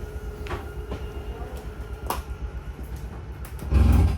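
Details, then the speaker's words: 2022 Jayco Jay Flight 267BHS trailer with a rack-and-pinion slide-out motor. A steady low drone is followed by a loud burst of clicking at full extension, which is the normal end-of-travel signal to release the button. "this is a rack and pinion style uh slide out motor so it's going to make a clicking noise when it's fully extended and also when it's fully attracted"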